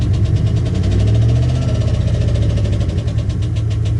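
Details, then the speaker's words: 2015 Chevy Express 4.8L: heavy, deep, low knock at rough idle, from under the right side, possibly near the exhaust, rising with throttle. It sounds like rod knock but proved to be a collapsed right-side lifter. "Sounds weird. Definitely sounds like a hard hit from under here."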